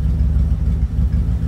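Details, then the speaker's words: 1987 Dodge D100 idling just after start following new fuel pump, V-belts and vacuum line delete; deep steady rumble with even pulses, runs better but owner says still needs a little tuning; no fuel or oil leaks. "right up sounds like it's running a little bit better still need to do a little tuning on it i think to get it to get just right but it sounded a lot better"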